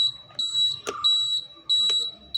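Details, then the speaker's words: Honda Activa 125 after washing: shrill high buzzer pulsing nonstop about every half second, still there after a ride, even with the switch off; water inside the indicator switch or flasher relay; indicator buzzer stuck on. "പക്ഷേ ഒരു രക്ഷയും ഇല്ല കേട്ടോ ആ sound അങ്ങനെ തന്നെ നിൽക്കുവാണ് ചെയ്തിട്ടുള്ളത്"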